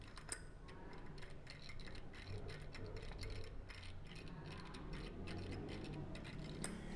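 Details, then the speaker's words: Bicycle wheel hub, bike about five months old, spun by hand: irregular light ticks with dry rubbing; water got into the hub bearings, which were only lightly brushed with grease from the factory. "vou abrir esse Hub para verificar qual o barulho né aí a água entrou"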